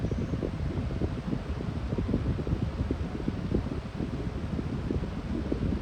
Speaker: I think low speed has the best startup sound, but it does whine pretty loudly with the winding sound or the humming sound on medium.